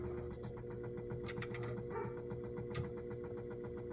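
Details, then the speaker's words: CED player (believed SJT-090) with a 3D-printed third reduction gear, jammed by a screwdriver: a steady strained motor hum with fast ticking gear chatter; the gear won't break as designed, the gears seem okay, and the motor is overdriven. "the gears all seem to be okay it's just making that motor run an overdrive"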